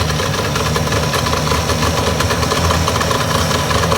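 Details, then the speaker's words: 1962 Johnson 75 hp two-stroke outboard with electromagnetic shift, hard starting, bad reeds suspected, gasket leaking fuel: steady high-idle buzz in warm-up mode with no misses, staying running, idling a little fast. "all right staying running good sign a little fast idle though"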